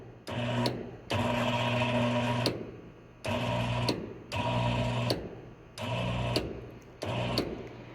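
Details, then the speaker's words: High-voltage lab corona experiment with voltage raised step by step. A radio picks up a harsh humming buzz in repeated bursts that grows louder as voltage increases: corona discharge radio interference. "you can hear now radio noise there you can see as I go on increasing so the noise also increases"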